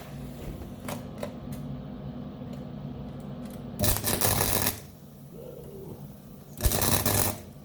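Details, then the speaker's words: Beginner MIG plug/spot welding: two short bursts of harsh irregular crackle and popping instead of a steady frying hiss; spattering, welder unsure whether travel speed or wire speed is too slow. "Is that spattering because the speed is too slow? Or the wire speed is slow? I don't know."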